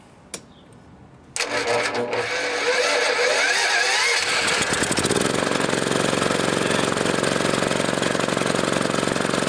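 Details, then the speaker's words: Generator bought new years ago and used for welding, unused about 3 years, battery charger attached, electric start; starts first try, then speed wanders and pulses unsteadily instead of holding governed speed; engine surging before a dual-fuel LPG/NG carburetor swap. "However, I haven't used it for quite a while now, and now when you start it up, surges, you know, and I'll show you that."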